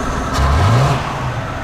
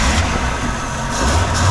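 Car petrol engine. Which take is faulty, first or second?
second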